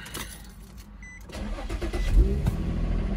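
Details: Infiniti G35 driven daily for about 3,000–4,000 miles, started slightly warm after a drive: short starter whir, catches at once and settles into a smooth, even idle; normal start.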